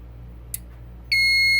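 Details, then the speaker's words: Fire alarm panel after reset with the pull station still activated: near silence, a faint click, then a steady piercing high tone as the panel drops straight back into alarm because the pull station is still active. "it's just going to go back into an alarm. So it's still active. You see that it's still active"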